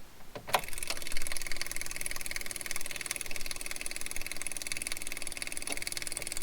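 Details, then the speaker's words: 2019 Branson 3015H tractor at 300 hours, diesel fuel filter change: at key-on the electric lift pump ticks rapidly and steadily while priming fuel so air bleeds out the filter bleeder screw; normal lift pump operation. "i'm going to turn on the key so that this lift pump lifts fuel into this and bleeds out there and then i'll shut the key off"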